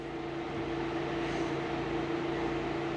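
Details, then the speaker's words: Turbo Subaru Forester on Haltech Elite 550, after reached 104° because fans were unassigned in firmware update, now assigned (first over 85, second over 90): steady whooshing airflow with constant hum, no rattle; both radiator fans running normally. "So over 90, the second one comes on. First one comes on over 85."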